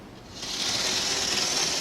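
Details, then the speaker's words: Bachmann HO-scale Canadian diesel model locomotive: hissy, high-pitched whirring that swells then holds steady, noisy going forwards but more noticeable backwards; cleaning and lubrication might reduce it; noisy motor/gear drive. "it makes a bit of noise going forwards when it comes down to it but it's more noticeable going backwards H yeah it is a bit noisy"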